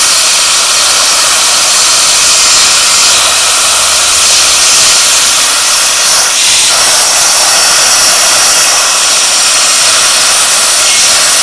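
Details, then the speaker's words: A 40 amp plasma cutter at 15 amps and 40 psi gives a steady hiss of air and arc with no breaks; it cuts slowly and not completely through but keeps the shape; normal plasma cutting. "well i would have laid money on that that wouldn't have cut that but look at that didn't go completely through but it did cut it"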